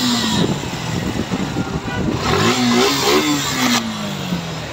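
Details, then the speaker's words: Suzuki Gixxer Monotone FI ABS after tappet adjustment (intake 0.07 mm, exhaust 0.13 mm), which cured hesitant pickup: revs up cleanly and drops back smoothly without stumbling; sounds healthy. "আপনার গাড়ি হচ্ছে high speed বলেন এবং normal speed সবদিক দিয়ে sound quality ভালো পাবেন"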